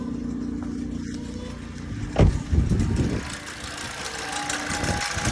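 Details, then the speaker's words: Toyota Yaris 1.33, 1NR-FE dual VVT-i engine: a light metallic rattle over the idle, louder as the mic moves closer to the engine, with handling noise; top-end rattle, cause not confirmed. "but the issue I was having from the onset was to do with this rattle"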